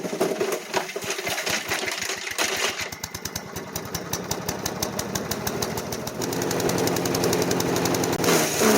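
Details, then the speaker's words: Craftsman chipper-shredder, 5hp Briggs & Stratton 133412-0059-01, after rebuild, chipping branches: rapid single-cylinder chug slows and labours under load with sluggish RPM recovery; bogging, owner suspects the never-changed clogged air filter. "however it does seem like it bogs down pretty easily and when it does takes a long time for the RPMs to come back up and I'm pretty sure I know why I never changed the air fil"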